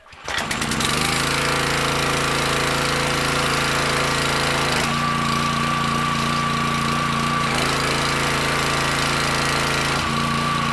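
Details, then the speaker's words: Petrol pressure washer that would not let off high pressure when the wand trigger was released; owner suspected the unloader valve. Now the engine holds a steady drone and its note shifts cleanly on trigger release; the valve is moving and pressure relief is normal. "it actually does seem to be working i don't know what happened it was stuck for a second now i can actually see the valve moving and that's the way it's supposed to shut down"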